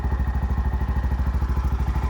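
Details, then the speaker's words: Bajaj BS6 auto-rickshaw, over 2 lakh km (odometer rolled over twice), after timing chain and engine work with new clutch assembly: even, steady thumping idle about ten beats a second, no ticking, rattle or clatter; now quiet, smooth, soundless. "Sound sound less ಗಾಡಿ ಆಗಿದೆ ಯಾಕೆ sound less ಆಗಿದೆ ಅಂದ್ರೆ clutch assembly ಎಲ್ಲ"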